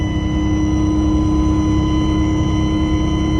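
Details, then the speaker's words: 4106 bus with an Allison V730 transmission, at highway speed: a steady, pronounced high-pitched whine at one pitch over road rumble; suspected transmission, power steering or alternator, and it is quieter after switching the transmission to motor oil. "oh i got a new high-pitched wine coming out of this thing i mean i remember hearing it before but not that loud it's pretty pronounced"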